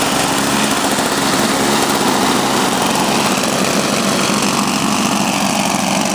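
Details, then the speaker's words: Toro CCR Powerlite snowblower started cold after sitting outside about half an hour at about 28°F. It has 120 psi compression and a rebuilt fuel system, new spark plug, intake gasket and primer line. A loud, steady two-stroke buzz with no surging; normal running. "Working fine, working great. Good to go."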